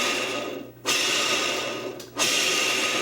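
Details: Centipede arcade trackball, non-oiled unit, hand-spun: a dry, even whirr, spun again twice with no scraping or catching. The ball spins freely and keeps going a long time.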